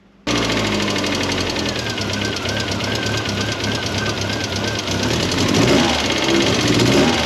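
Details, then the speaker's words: Mk1 Ford Fiesta engine's first runs after restoration: light, quick ticking over the idle, keeping pace with engine speed; tappet noise, valve clearances need setting. "but that's not a huge problem I thought I'll just get the topet set"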